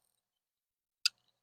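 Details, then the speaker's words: Mechanical hard drive opened and powered via jumpered supply: one sharp, bright click in near silence, the click of death of a failing drive as the heads slam back. "Este es el es el clic de la muerte de los discos duros mecánicos. El clic de la muerte de los discos duros mecánicos."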